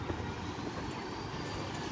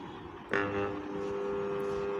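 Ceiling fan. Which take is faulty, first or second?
second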